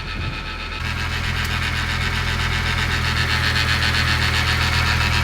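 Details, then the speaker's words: Mitsubishi Evo X engine at idle: a fast, fairly even rattle about four per second over the idle hum, seeming to come from the crank pulley area. The pulley was checked and is not loose; cause unconfirmed. "It sounds like it's literally coming from right here, right on this crank pulley. Is that loose?"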